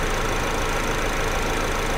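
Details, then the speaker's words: 2009 Chevy HHR 2.2L flex-fuel, start after extremely long crank: uneven, lumpy rough idle with loose ticking; engine flooded and running rich (P0172, P0300, fuel trims about -24 to -27%) because computer reads incorrect 73% alcohol content. "all right long crank time associated with a rich code right engine's flooded"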